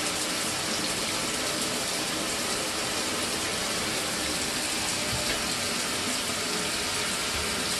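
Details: Mira (Zora) shower after replacing the faulty solenoid valve that made flow stop and start intermittently a few minutes after switch-on: continuous, even hiss of running water with no surges, sputters or dropouts; steady, healthy flow after repair.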